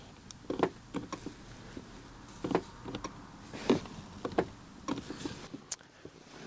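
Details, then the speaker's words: 2014 Kia Sorento: sharp irregular clicking inside a door as locks are worked, actuator twitches without fully locking, others do nothing though relay clicks; no fault codes stored. "I can hear it clicking in the door here but none of these others are doing anything and I can definitely hear the relay and their click"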